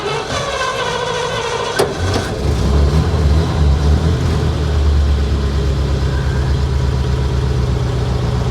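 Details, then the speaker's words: 1953 Pontiac Chieftain, 12 V system, cold start in neutral: uneven lumpy idle that sags and wants to stall off throttle, then steadies; alternator shows 11.3 V at idle. "let her warm up for just a second guys uh if i take my foot off of the uh off of the gas she wants to die there we go she's running she's happy"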